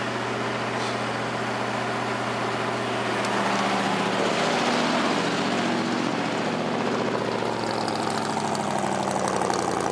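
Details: Ford F-150 V8 holding a smooth, steady idle with no hiss or stumble after replacing the faulty brake booster check valve that caused a vacuum leak; running much better.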